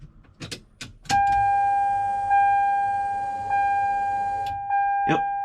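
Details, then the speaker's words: Toyota Supra with an AEM Infinity ECU, after rewiring the fuel pump relay ground triggered by the ECU. A few clicks, then a steady high whine for about 3.5 s that cuts off: pump primes normally and runs again on cranking. "a real pump its priming it Prime's first and shuts off and then it turns on once a key crank over the car so it really worked"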